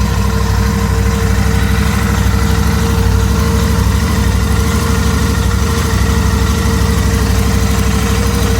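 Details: Royal Enfield Interceptor 650 twin: steady mid-pitched howl over the loping twin-cylinder idle; abnormal engine howl, cause unknown.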